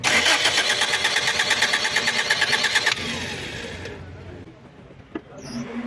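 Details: Engine cranks steadily at about three beats a second for three seconds with no clean catch; hard starting with long cranking.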